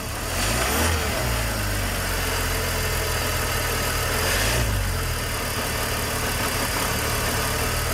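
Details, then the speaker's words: 2005 BMW 330ci (E46) just after starting, no engine lights: RPM drops and the idle stumbles, dips and shakes as it misfires. "Okay, how that thing is misfiring. Okay, it's missing quite a bit."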